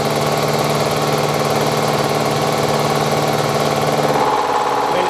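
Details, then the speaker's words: Banggood face mill with coolant spraying, taking a heavy 70 thou cut: steady even cutting roar with coolant hiss, no chatter or squeal, working hard; normal heavy face milling cut. "you can hear it there, that's actually working now, working hard. That's amazingly good actually."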